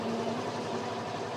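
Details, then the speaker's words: HISUN/Axis Sector 750 UTV electric winch pulling a vehicle in neutral up a hill: a smooth, even drone with no bogging, quieter and less laboring than earlier on the hill; normal winch pull. "I can hear the winch is not laboring as much now. It's a lot quieter. It was laboring coming up that hill."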